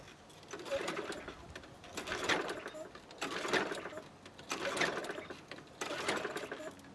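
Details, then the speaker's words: Craftsman 190cc self-propelled mower, previously hard to pull, with starter fluid in the spark plug hole: repeated recoil pulls about once a second, brief whirring spins that never catch; no start, later found to have zero compression. "Actually surprised that didn't do it. I'm gonna have to check for spark."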